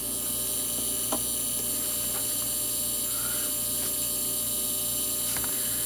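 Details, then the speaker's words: Sim2 Domino 80 DLP projector power supply, no light, 12V rail present: constant hum and high buzz, suspected inductor rattling; caused by failed capacitors (three 47uF 50V and main 100uF 450V filter cap). "man just trying to figure out where that noise is even coming from like what in here it's an inductor maybe this inductor rattling there or that one"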